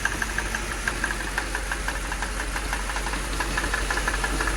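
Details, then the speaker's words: Mercedes (title says 2006 CLS 500) idling with check engine and battery lights on: sharp, steady knocking about three beats a second over a rough idle, like a drum line; internal engine knock of unknown cause. "god sound like it's coming from this area that sound like the drum line at a football game what is that i can't tell where it's coming from"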